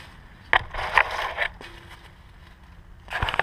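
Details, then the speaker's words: Honda S2000 propeller shaft rotated by hand via the wheels; sharp, uneven clicks in bursts from a worn driveshaft joint, a popping and clicking noise heard for a long time and now bad enough to need replacement. "listen you can hear that clicking sound and that's what I've heard that sound for a while since I've had the car I just thought you know the drive chef's just a little bit of play but it's become so bad now that if I believe it needs to be replaced"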